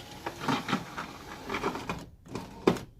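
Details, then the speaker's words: Honda CR-V power window before regulator replacement: stuttering, rattling whir in uneven bursts as the glass moves, then stops; the regulator cable was found frayed and torn up, near breaking. "so if your window just like is free up and down willy-nilly that's because this is broken and if it's making noise it's probably because it's starting"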